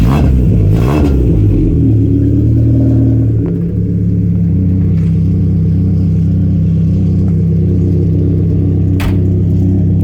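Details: 1992 Saab 900 naturally aspirated 2.1 with a newly fabricated exhaust replacing a leaking one: a quick throttle blip, then a steady, even drone. A slight startup rattle came from an exhaust hanger still needing adjustment. Normal running.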